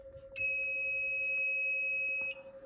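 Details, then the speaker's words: Silent Knight SK-4 fire alarm panel just reset with no standby batteries installed. A steady high-pitched panel buzz for about two seconds: the battery trouble signal. "Now I reset the panel. Battery trouble's gonna go off because obviously there's no batteries."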